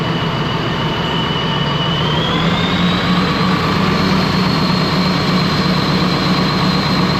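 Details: Ex-US Army Cat D6R bulldozer, 822 hours, valve cover loosely on: heavy diesel revs up with rising tone over an uneven lumpy beat; running rough, cylinder cutout test shows number 6 injector not reacting.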